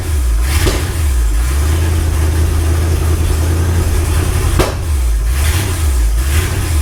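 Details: Ford Galaxie 500 V8 on first start after restoration, third attempt after belt tightened, firing order and timing checked; uneven surging revs with sharp pops; suspected excess fuel, leaking carburetor or high floats, unconfirmed: backfiring, rough running.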